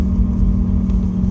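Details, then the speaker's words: Mercedes-Benz M111 with Eaton M62/M45 supercharger and new compressor pulley, driving in 3rd gear: louder compressor with a constant low whine over engine rumble; owner notes bearing noise needing replacement, bearing not identified. "I've got a bit of bearing noise here, I need to replace that..."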